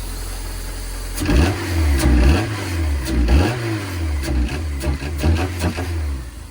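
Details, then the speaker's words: Right-hand-drive JDM import with a used swapped-in engine, first start: sharp knock absent at idle that rises with RPM, not lifter tick, with heavy oil smoke and oil smell; replacement engine likely bad. "And I'm getting a little bit of a knock noise. It doesn't sound like lifter tick because it sounds like at idle there's none. and then it rises with the RPM."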